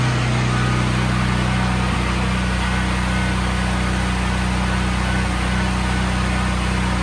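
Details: Brand-new Briggs & Stratton generator with 3.9 hours runs at a steady, even drone with no hunting after an attempted fix for bad surging. The carburetor was not dirty; the owner's theory involved the fuel cutoff solenoid.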